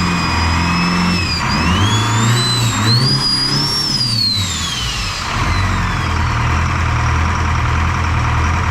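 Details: Detroit 4-53T diesel with 9G90 injectors, run from a 5-gallon tank bypassing the solenoid and tank: rough lumpy beat as revs rise and fall, blower whine rising and falling. Fuel starvation (filter half full, loose suction clamp); injector two dead.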